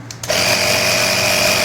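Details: Air Hawk Pro tire inflator set to 24 on a tire at 16.5, running with quick-release extension hose; after a click settles into steady high-pitched buzzing whir, pumping normally.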